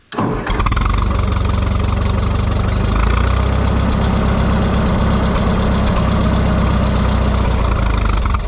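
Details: Minneapolis Moline GTB tractor brought out after sitting, started using the choke, with the carburetor load needle setting uncertain. A quick crank catches straight away, then it settles into a steady, even low idle with no misses or knocks.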